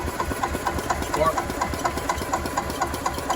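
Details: Club Car DS gas golf cart, sat about 10 years, fresh fuel, micro switch to RPM limiter bypassed: steady cranking about two strokes a second, never fires; no spark, traced to faulty RPM limiter.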